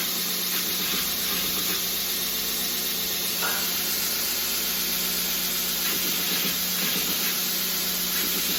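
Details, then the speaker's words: OBM surface grinder attachment with 90 durometer wheel on a 2x72 belt grinder, flattening a blade side: even, high hissing grind at constant level, no chatter or bogging; normal smooth surface grinding. "So I'm going to crank it up and get this side flat and just show you guys what it looks like."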